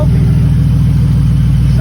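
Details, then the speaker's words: Grand Prix V6 running after work, no exhaust yet fitted: steady, even idle with smooth regular firing pulses and no misses or stumbles; hitting on all six cylinders. "good he's hitting on all all six"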